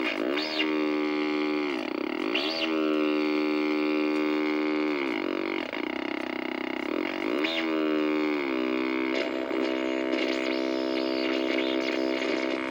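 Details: 1964 Sony 9-304U portable solid-state TV with raster but no video: a loud, buzzy droning squeal bending in pitch as the hold controls move.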